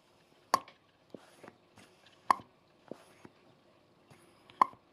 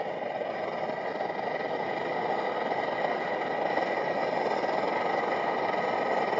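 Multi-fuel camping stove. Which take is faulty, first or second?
second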